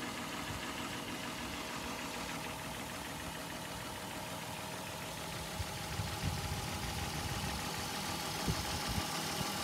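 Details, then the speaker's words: Mk4 VW Golf 2.8 VR6 4motion (AUE) petrol, idling with a failing, coolant-leaking water pump: a light, uneven knock about three times a second, louder near the steering wheel and traced by ear to the water pump. "You can hear it, that like knocking sound. But when you're actually around there in that area with your ear, it does definitely sound like it's coming from the water pump."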